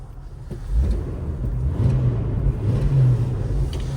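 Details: Jeep Wrangler 4.0, running about 20 minutes: deep, smooth low rumble with a brief gentle rise in revs, no knocks or misses; healthy normal idle.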